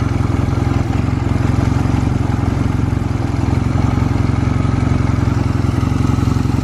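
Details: Stored Honda Rebel 250 Special (MC13) in a start-up and operation check at idle: a steady, even low thump of about three to four beats a second with no knocks or ticks. No abnormal engine noise.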